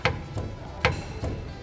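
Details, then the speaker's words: VW Amarok with vibration and knocks, tyre rocked by hand, engine off: loose hollow clunks about every 0.4 seconds from excessive play in the steering box and its mount bushing, felt through the wheel. "Eu fiquei em silêncio para você ouvir a folga e o barulho Entendeu Mexe no pneu pela folga Olha que folga gente"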